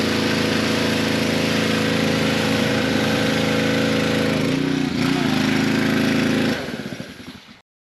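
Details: Pressure washer with replacement pump (4-bolt, 3/4 inch shaft): small engine runs steady and even for six seconds, dips briefly under load, then winds down smoothly at shutoff; healthy after the repair.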